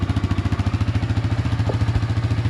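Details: 1999 Suzuki DR350SE on a new AGM battery, just started: an even single-cylinder thump of about eleven beats a second, steady and unbroken; healthy cold idle while warming, charging at 13.3–13.4 V at idle.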